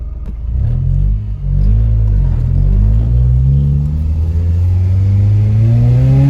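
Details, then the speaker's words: Old Ford Mondeo after breakdown, fixed by replacing coolant temperature sensor and fuel pump; hard acceleration in first and second with strong, clean pull, note rising smoothly, no misfire; healthy acceleration after 90-mile test drive. "Yeah, as you saw just then, when I booted it in first and second, it pulled, and I've done a long test run because I just wanted to give it some time."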